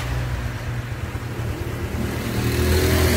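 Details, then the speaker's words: Honda Future 2014 motorcycle after clutch rebuild, valve lapping and cam chain tensioner replacement: smooth, steady low engine note, no whine or rattle; earlier howling cam chain now quiet, normal running. "Nãy nó hồi nãy nó e e dữ lắm nha anh em ơi hồi nãy nó hú nó gào dữ lắm nè im giờ im ru luôn"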